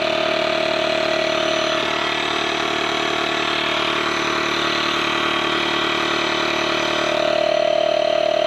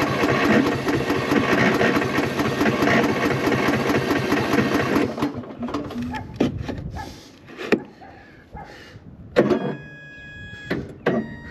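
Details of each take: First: Small engine idling while flat tire is inflated to 14 PSI: smooth, even idle with steady air-pump hum nearby, no stumbles; normal idle. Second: Cub Cadet lawn tractor with corroded battery terminals and a 12.17 V battery; gas on, brake set. Starter cranks for about five seconds but it never fires. Owner suspects the battery is finished.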